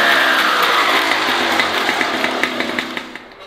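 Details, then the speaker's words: MBK 51 Hard Rock two-stroke moped's first run after reassembly: a high buzzy note winding down. The light rattle is a vibrating toolbox; the engine itself sounds healthy. "Alors, on entend le bruit, en fait, le bruit, c'est la boîte à outils, là, qui vibre. Dans l'ancien, il n'y a pas de bruit."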